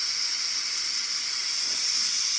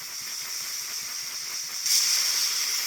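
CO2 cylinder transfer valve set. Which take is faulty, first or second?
second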